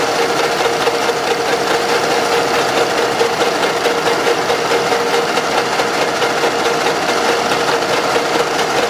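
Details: Running engine with fast, fairly even light knocking about twice per second; excessive camshaft axial end play in the cylinder head causes it, engine with sludge and blow-by; fix: machine the original plug about 0.5 mm.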